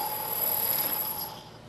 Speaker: turning long thin Parts such as this one can be a problem due to the deflection of the part due to the cutting forces produced by the tool I'll show you what that looks like and sounds like if I try to take a pass this part you can hear the noise the chatter